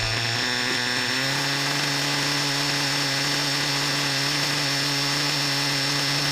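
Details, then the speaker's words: Reds R5 nitro RC engine run indoors with fuel-injection-line hose on the exhaust, drivetrain spinning: smooth high-pitched buzz climbs then holds steady, no knock or rattle; earlier noise no longer heard. "we just heard it climb a little bit now didn't we 've got Drive trains spinning so hey man I don't hear that noise man"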